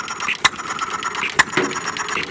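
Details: Half-scale Domestic side-shaft hit-and-miss model engine, 9-inch flywheels, make-brake ignition, gravity-fed fuel, set to run fairly slow in cold weather; sharp firing bangs about once a second with clicking coasts, running properly.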